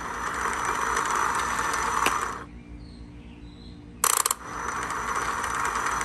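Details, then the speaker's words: 1996 Evinrude 150 outboard. Slow, labored starter crank that drags and stalls briefly before turning again. Replacing the solenoid didn't fix it, so the starter is worn and being replaced; the bendix is fine. "all right so what's happening is the starter is turning very slowly"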